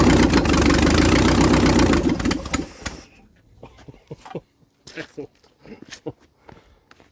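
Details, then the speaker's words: 1956 International R180 truck with junkyard 454 V8, first start: fires straight into a loud, steady open-exhaust roar for a few seconds, no smoke, seemingly hitting on all eight; healthy start. "I mean Jesus there's no smoke at all it sounds like it's hitting on all eight which really shocks me"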